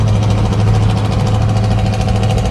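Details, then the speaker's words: Camaro with valved 3-inch exhaust cruising on the highway at about 1,500 rpm, 65–75 mph: loud steady low droning hum, "helicopter" exhaust drone; worse loaded near 80. "Like when you're like cruising on the highway. Yeah, 1,500 RPMs Like to 65, 75. Once you get 80, it starts putting under load a little. It's just straight helicopter."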